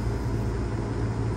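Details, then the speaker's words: Air conditioner not cooling, suction line not sweating, condenser fan running on a Lennox unit with no board error codes: steady low hum as compressor tries and fails to start; suspected weak 30 run capacitor causing hard-start. "it is a bit hot yeah hear that yeah he's trying to start and he can't so we're gonna check that capacitor is a 30."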